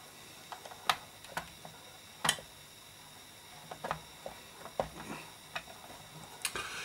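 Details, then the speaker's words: Toshiba RT 120S radio cassette playing tape: quiet, irregular light ticks and clicks from the ageing tape transport mechanism with no steady rhythm; mechanism ticking from age. "this now can do now can do about that noise it's just mechanism noise there's not really a lot I can do about it you have to remember these mechanisms failed years old"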